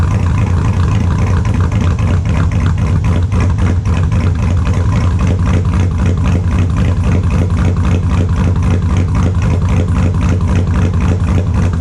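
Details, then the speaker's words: 2002 Chevrolet Silverado with a built LS V8, idling in the shop after a cold start: extremely loud, lopey idle with a firm chop near four beats a second, all cylinders pulling evenly; normal idle. "Tell me what you think about that. It's really loud. It's extremely loud."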